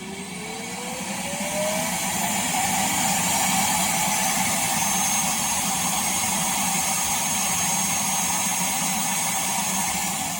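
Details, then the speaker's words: iRobot Roomba Combo i5+ self-emptying dock during a dump: loud fan rushes up to a high, strained whoosh and holds; owner says it reports blocked about every other dump; self-empty dock blocked. "It's now blocked. Wait, is it going to say it? I don't know. It usually says it at the end of every dump. It says it's blocked most of the time."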